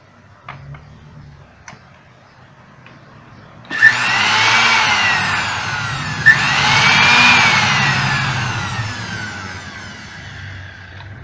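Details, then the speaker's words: Moulinex blender motor tested after brushes were checked: spins up cleanly twice to a high, even whir and winds down smoothly, no rattle or grinding. Healthy motor. "ya vimos que el motor está bien ya quitamos el cafecito lo conectamos otra vez"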